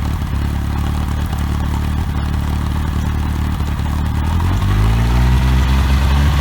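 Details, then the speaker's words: OMC 2.5 L 140 hp sterndrive in a 1981 Sea Sprite, run on water muffs after sitting since winterizing, warming up: a low, smooth burble at idle that rises evenly as revs pick up, with no knocking or misses. Quiet, smooth, normal running. "Pretty quiet, pretty smooth running little motor."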